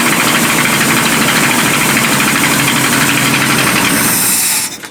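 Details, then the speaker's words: Abandoned 1976 Winnebago Brave engine running after revival: steady fast even beat with a busy rattle on top, then shuts off; sounds okay. "yeah i'm sure the rings love that i think it sounds okay"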